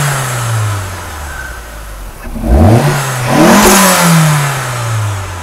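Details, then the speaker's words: Turbocharged Mazda Miata with the blow-off valve removed: revs rise, then the throttle snaps shut and a quick fluttery chatter follows; compressor surge as air forces back through the turbo, stressing it. "and that sound that you were hearing when i let off throttle when i didn't have the blow-off valve hooked up was the air forcing its way back through the turbo and putting a lot of extra force and stress on the turbo components"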